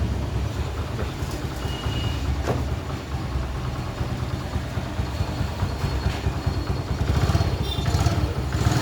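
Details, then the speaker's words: Honda XL100 after a full engine rebuild, started with one kick: the small single-cylinder engine putters along at a steady low idle with an even beat and no knocks or misses; normal idle. "അപ്പം ചാവി ഓണാക്കി വണ്ടി ഒറ്റയടിക്കുന്ന സ്റ്റാർട്ടാക്കി."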